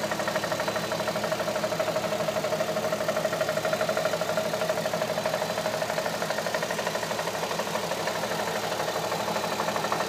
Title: Engine knock 2007 A3 3.2